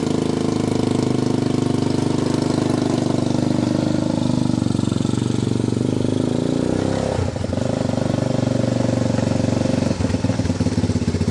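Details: Honda TRX250 ATV single-cylinder after diesel-contaminated fuel was dumped and fuel fed from a bottle, choke on: runs on its own, rough but steady, with a few throttle blips near the end; normal running.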